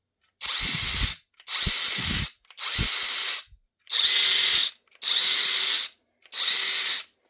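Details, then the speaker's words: Flex mid-torque 1/2-inch cordless impact wrench in high, free-running: six trigger pulls, each a clean high motor whine without the loud grinding bearing noise of the faulty FX1472 high-torque. "Does not make that noise that that loud bearing noise."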